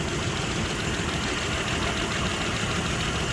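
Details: 2006 Mitsubishi Pajero 3.8 L, code P0304, hard to start that morning: steady but lumpy idle with cylinder 4 misfiring. A coil swap points to a faulty spark plug in that cylinder, not yet confirmed.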